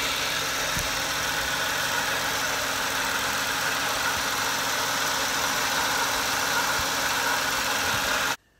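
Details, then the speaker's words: Peugeot 107 auxiliary (alternator) drive belt after tightening at the adjusting bolts: it was slightly loose and made a squeaking/whining noise; now a steady, even idle with a faint hiss and no chirp or squeal, belt running quietly. "yes it was just just a slight bit loose and it was really annoying noise it wasn't it wasn't a good noise"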